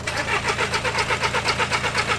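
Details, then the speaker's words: TDI 114 hp diesel van just after a gearbox change, with the turbo wastegate removed and the pump valve altered: the starter churns steadily at about six compression pulses a second with no firing. Unusually long cranking without a start; cause not diagnosed. "Je suis dégoûté. C'est la première fois que j'entends aussi longtemps un déma"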